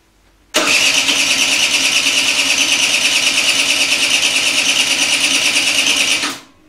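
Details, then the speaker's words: Peugeot Elyseo 50 scooter after fitting a new cylinder, idle screw at 1.5 turns: steady cranking churn for about six seconds that never fires; the plug was bone dry, so the float chamber was flooded next. "leider noch nicht"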